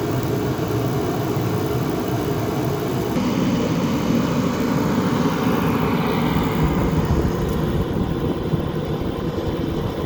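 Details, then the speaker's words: Craftsman 60,000 BTU forced-air propane heater running in a garage for about 15 minutes, warming it about 15 degrees: extremely loud, steady burner and fan roar with no surging or rattles; working normally. "So it's been running for about 15 minutes and it's warmed up, I think, around 15 degrees. One thing that you'll notice is it's extremely loud."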